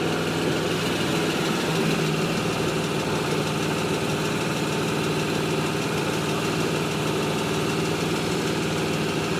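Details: 2005 Pontiac GTO with LS2 V8, 115k miles, at idle: busy fine light ticking buried in engine noise, rhythm hard to pick out; engine ticking at idle, cause unknown.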